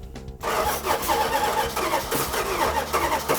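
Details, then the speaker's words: 1972 Dodge Charger Rallye, V8 with spark plug wires on the wrong cylinders after distributor replacement and fuel problem fixed: cranks with uneven, lumpy puffs and pops but never catches and runs; crank no start from crossed plug wires. "on we got wires on wrong okay i told you so eight does this go to the back this one shut it off"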